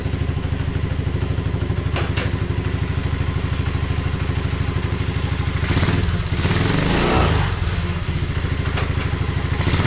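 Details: 1986 Honda Fourtrax 125 after carburetor cleaning: single-cylinder thump at an even idle, blipped once and settling back cleanly; smooth, healthy normal idle.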